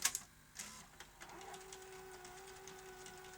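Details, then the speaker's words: Sony SL-HF950 SuperBeta Betamax VCR rewinding: clicks, then a whirring transport with a hum and irregular ticks; tape drags unevenly and snags on a head, and the machine is leaving tape loops and the capstan servo is faulty. "That's very uneven. The tape is snagging on that head. Very uneven."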